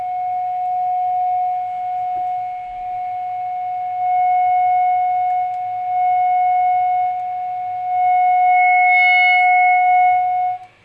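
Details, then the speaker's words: Fenton Weill Bass 15 valve amp, capacitor temporarily bridged: clean, steady signal-generator tone with no crackle, hum or dropouts before cutting off; amp passes signal properly, though tone controls don't work. "okay the amp sounds let's switch it off just go over a few things okay that sounded uh pretty good actually"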